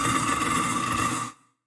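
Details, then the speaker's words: Garbage disposer (food disposer, Badger/InSinkErator type) running jammed: harsh grinding rattle with a scraping edge for over a second, then cut off; a beef rib bone is lodged in the chamber, signalling to stop and free it. "isn't that terrible isn't that letting you know look something is being destructed something is being destroyed stop in other words when you hear that you need to stop and do something about it"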